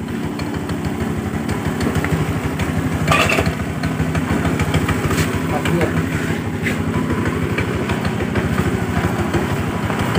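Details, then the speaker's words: Honda Vario automatic scooter pulling away at light throttle: uneven lumpy note with irregular surging and jerking like a manual clutch, also creeps without throttle; clutch judder, suspected in secondary pulley or rear clutch lining. "nah kadang saat kita gas kita jalan Ini loncat seperti ada kopling ya padahal ini matic tuh ini Hai loncat Parah jadi saat posisi santai seperti ini ya ini kadang loncat"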